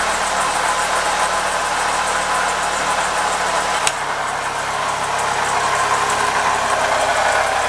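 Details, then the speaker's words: Toyota RAV4, probably 2007, AWD 3.5 V6 just after start-up: rough, busy clatter over steady idle with an odd click; owner says the 3.5 is known for timing chain rattle, though it may not show yet; water pump also needs replacing. "but these three fives are so famous for the timing rattle you can find another video"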